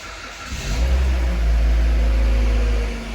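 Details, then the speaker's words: First-generation pre-facelift Kia Ceed, first start after repair of a jumped timing chain and bent valves (catalyst removed): the starter turns briefly, then the engine catches and settles into a quiet, even idle with no knocks or rattles. Healthy. "все хорошо работает тихо никаких посторонних шумов стуков ничего нету мотор работает ровно"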